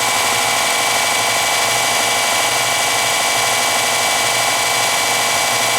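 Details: Porter-Cable belt sander after a tracking fix, a bigger spring plus a lock washer under the adjuster so the belt tracks mid-drum without rubbing the cover: a steady, even high-pitched hiss with no rubbing, slapping or catching; belt running normally.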